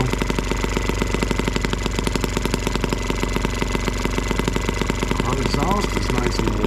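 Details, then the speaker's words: M12B two-stroke engine running on camp fuel mixed with two-cycle oil as an alternative fuel, block warm: a rapid, uneven, burbling exhaust pop. The owner suspects it is running rich, and leaning the screw made a massive difference. "i can feel temperature in the block but i'm not sure if it sounds like it's running rich we can try to lean it out a little bit here by turning our screw in that made a massive difference"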